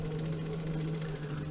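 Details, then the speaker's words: Trikexplor F426E recumbent quad, dual 48V 500W mid motors, four-wheel drive engaged on throttle, all wheels driving: all-wheel-drive motor with reduction gear and dog clutch gives a steady even hum and faint gear whine, no knocks, normal running. "as you can see all all wheels are now driving like that so that's all wheel drive working this motor is now spinning"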